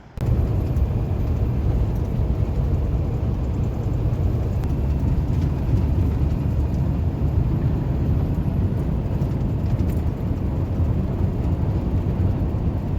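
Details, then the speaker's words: 2016 Peterbilt 579 diesel cruising after repair: deep steady even drone, no hissing or leak roar; loud turbo-area noise, suspected manifold exhaust leak, was actually a small hole in a rubber hose, replaced with clamps. "so we got that changed out it's down the way it's supposed to sound and that's what we talk about"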